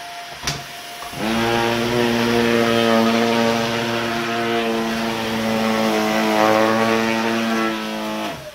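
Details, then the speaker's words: Dyson DC50 Rollerball vacuum after reassembly, once the internal filter area packed with dog hair and dust was cleaned: motor spins up to a strong, steady, even hum until switch-off; normal suction restored. "let's see if it'll suck up this dust i've made on the table to see if the fixes work maybe normal again"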